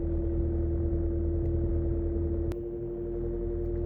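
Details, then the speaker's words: Vintage 1947 GE 12-inch Vortalex fan, model FM12V1, running on medium speed; steady even motor hum with clear fixed tone and smooth airflow, no ticking or scraping. Super nice runner; oscillator doesn't work. "Super nice runner. I wish the oscillator worked."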